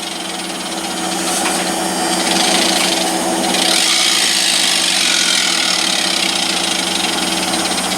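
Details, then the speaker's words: Vestel washer dryer drive motor: a high, raspy whir with a gritty, uneven waver as it speeds up. The brushes and commutator are being checked. "the first thing I'm doing is checking the bushes make sure it's all right and make sure so the commentator is all right"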